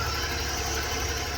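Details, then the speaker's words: 1991 Ford F-150, good fuel pressure 45-50, compression, spark and timing, started after cranking with starting fluid; steady even low rumble at idle with no knocks or misses, running smoothly. "we got it running and dad got it running all we did was uh really just crank it my dad spread some starting fluid in there and it started to run"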